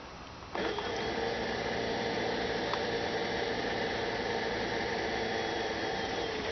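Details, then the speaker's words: 2006 Toyota Prius coolant bleeding after coolant change: electric coolant pump running, steady hum with constant unrhythmic bubbling and gurgling, funnel level dropping; air pockets still trapped in cooling system. "So I'm hearing bubbling sounds, and the level in the funnel is going down. Hear a lot of gurgling sounds."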